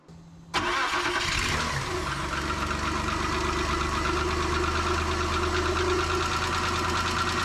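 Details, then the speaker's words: 1995 Nissan Pathfinder WD21 after timing belt replacement, started with accessory belts off and no cooling to check timing: engine catches, fast light ticking puff over the idle from the rear; exhaust leak. "Hear that exhaust leak back there? That's aggravating. Okay, it runs."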